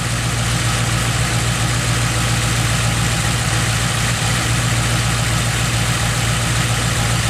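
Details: Ford Modular 3V V8 after cam phaser noise was fixed with Livernois phaser lockouts, idling smoothly with a steady low hum and no rhythmic top-end knocking.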